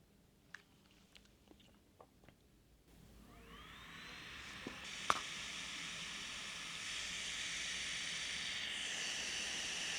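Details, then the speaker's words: Kandao 8K 360 Pocket camera just powered on: button clicks, then a steady high airy whine rises and holds as the cooling fans run quite loud; the fans oddly stop once recording starts. "Deci când pornim camera pornesc ventilatoarele și se aud destul de tare și e ciudat când pornim înregistrarea se opresc ventilatoarele cu toate că ar trebui să fie invers că atunci se încălzește camera când e pornită"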